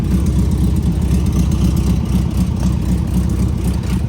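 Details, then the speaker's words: Air-cooled VW engine idling as an even low putter about four beats a second, steady with no knocks or misses; runs good, though owner says it still needs a tune-up, carb adjustment and plugs. "see runs good just have to do a little tuneup and carb adjustment plugs things like that"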